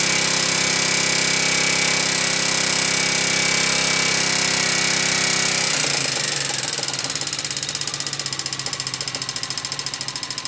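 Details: Honda XLV 750 motorcycle engine running steadily: sharp, even tick about four per second stands out as it settles, from the front cylinder; engine knocking noise, cause unclear.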